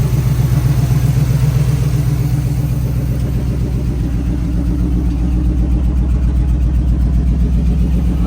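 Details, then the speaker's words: 1978 Chevrolet C10 after carburetor replacement: steady low idle with rhythmic uneven lope, slight misfire; owner suspects spark plugs, later plans jet adjustment. Cause unconfirmed. "what it's supposed to sound like has a slight misfire but I think it's uh the spark plugs"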